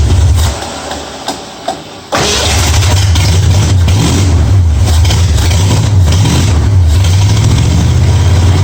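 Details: 1965 Mustang with new headers after setting ignition timing to 12 degrees before, checked at number one cylinder: brief cranking, then catches and settles into a steady, even idle with a firm regular beat; starts and runs normally.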